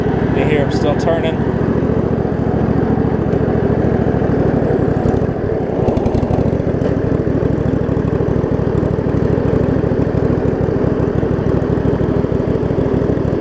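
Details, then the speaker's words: Craftsman riding mower with Briggs V-twin, test drive after fixing broken shift hub so transmission shifts; steady, even V-twin beat with no misses or knocks, holding speed smoothly while driving. Brakes still need tightening. Normal running. "Oh here it's moved out a little bit after I've got it run wait it's all it's actually running pretty good here"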